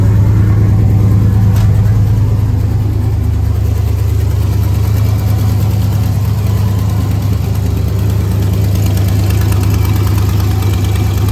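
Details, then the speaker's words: Turbo car, nearly straight-piped, cheap fiber header gaskets failed within 3 hours, boost lost: loud rough idle with fast uneven puffing tick about three per second; owner suspects leaking header gasket, MLS replacement planned. "[Music] that's why I think it's a header gasket um obviously"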